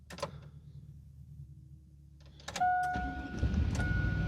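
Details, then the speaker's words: Chevy GMT800 Vortec V8 truck, start after the third cycle of the Passlock VATS security relearn: a chime, the starter catches quickly and a low steady rumble follows; the V8 starts and runs normally. "And there it is. It is running now. Sweet."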